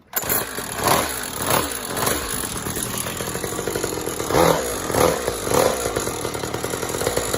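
Small two-stroke fires and keeps running with a buzzy, slightly uneven idle and a few blips of throttle; runs fine.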